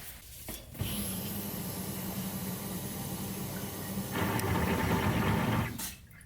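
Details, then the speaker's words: Turbo LS Escalade fuel pump heard from under the gas tank: steady hum, then around four seconds it turns louder and rougher with a churning buzz; owner suspects the pump is sucking the tank basket dry; stock setup never did this. "so right when it gets to that point you can hear a change of sound so i'll let it sit for a little bit and then i'll run it again and it'll do the same thing it'll sound good and then it'll go loud"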